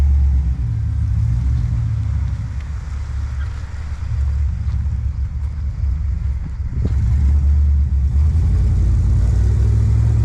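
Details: First start-up of a high-mileage 21-year-old GMT800 Chevy Silverado/GMC Sierra 1500 V8 after installing used long-tube headers: throaty rumble settling to steady idle, a couple of clean blips rising and falling smoothly; normal.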